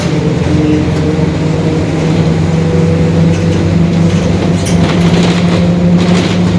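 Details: 2021 Marcopolo Torino S bus on Mercedes-Benz OF-1721 Bluetec 5 chassis, extended length, urban intercity service, under way; steady low drone with a faint growl from the rear axle, likely differential wear.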